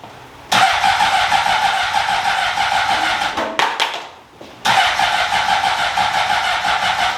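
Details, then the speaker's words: 2003 Honda CBR600RR revival with new battery and low fuel: two bursts of starter whir without firing, the first sagging and dying away; owner suspects the battery is done and fuel may be too low — slow cranking, no start. "I don't think the battery has enough uh yeah the battery is done put some more gas in it too might not have enough gas to pick it up"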